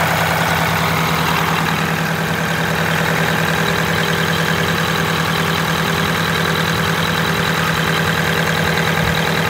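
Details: Detroit Diesel 8V92TA in a Wanderlodge RV bus, first test drive after rebuilding half the engine with 4 new pistons and liners, idling after the turnaround to let the turbo cool down; even, steady diesel idle, no knocks or misses, normal.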